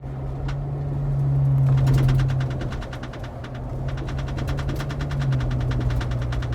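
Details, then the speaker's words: Jeep Wrangler Rubicon, about 21,000 miles: quick light clacking rattles about three to four a second over low road drone while driving; spare tire carrier/tailgate rattle from a cracked carrier bracket, not fixed by the dealer. "what's going on everybody hear that annoying sound i was trying to figure this thing out for some time took it to the kiana dealership"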